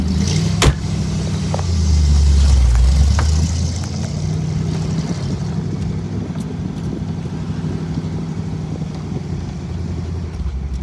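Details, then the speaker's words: 1961 Corvette on test drive after new exhaust manifold gaskets: low, even engine drone with no puffing or ticking at the manifolds, far quieter than before; normal exhaust note. "A lot quieter. Oh my god, it sounds like a new car in comparison."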